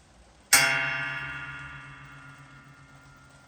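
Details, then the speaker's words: Hydraulic jack during an oil change and air purge: a single sharp metallic twang ringing down over about three seconds, from the return spring, which has always done this. Normal. "ça c'est normal, c'est le ressort, ça a toujours fait ça en fait."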